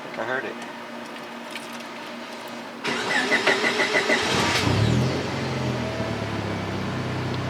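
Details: 1998 Honda Civic just after installing an eBay 255 LPH Walbro-replica in-tank fuel pump: faint pump hum, then a short crank that catches cleanly into a steady idle; new pump delivers and the engine starts fine.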